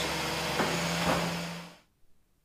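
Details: 2001 Ford Taurus 3.0L V6 after replacing a faulty fuel pump that measured 1.2 ohms (spec 8.5–15.5) and caused a crank-no-start: engine starts and runs with a steady, even drone; normal running after repair.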